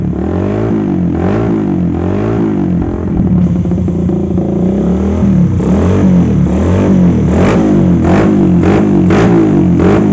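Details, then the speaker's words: Carbureted motorcycle with a vacuum fuel valve, after the vacuum fuel valve fix: even idle and clean revving with no stumbling at low to mid rpm. Idle now holds where it previously would not. "Nah teman-teman bisa kita dengar sendiri untuk suaranya tidak brebet lagi ya seperti tadi sekarang di bagian gasnya pun normal sekarang bisa langsung coba kita langsamin ya motornya"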